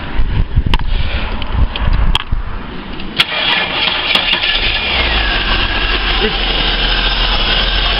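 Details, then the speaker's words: 1996 VS Commodore, cold start, spark plug gaps found about 3-3.5 mm, double spec: cranks and fires, then uneven, lumpy idle with wavering low beat; rough running after cold start, cause not confirmed. "sort of hear doesn't run well"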